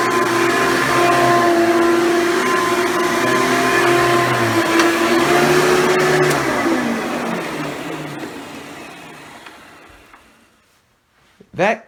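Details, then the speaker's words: Hoover Elite (Dimension) upright vacuum motor: loud, steady high whine, louder than usual, winding down when switched off. A shattered or cracking fan impeller is suspected, with fan replacement as the fix. "where can you come to where you have a moment where the vacuum sounds like it's running a little bit louder than it usually is"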